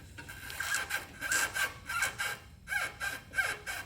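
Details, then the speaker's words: 2004 Lexus GX470, 216,000 miles, front suspension levered with a pry bar: rough rubber-and-metal creaking squeak about 1.5 times a second; worn lower control arm bushing with large front-to-back play. "You can hear the rubber and the metal doing those noises."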